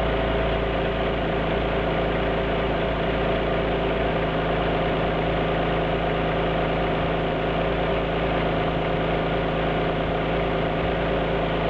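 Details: Alfa Romeo GT V6 at idle: a mostly even idle, broken now and then by a stumble and an uneven beat; the engine is missing at idle.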